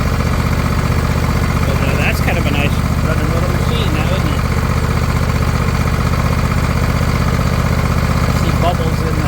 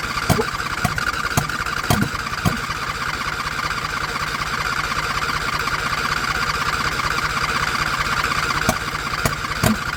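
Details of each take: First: John Deere LA120, owner thinks a 21 hp Briggs twin, 204 hours, half throttle, no choke, fuel filter now full of fuel: a steady, even, quiet thrum with no surging or sputtering, running smoothly. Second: John Deere LA120 mower, owner thinks a 21 hp Briggs twin, with an empty tank and nearly empty fuel filter, choke off, fired on carb cleaner spray: ragged cranking with a few pops that catch and die, fuel starvation.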